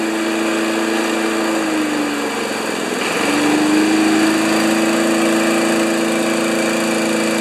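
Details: 1992 Wedgefield Briggs & Stratton Classic walk-behind mower at full throttle, settable rpm lever set to about 3360 rpm maximum: steady high-speed hum with a brief dip and recovery mid-clip, then an even governed run; normal.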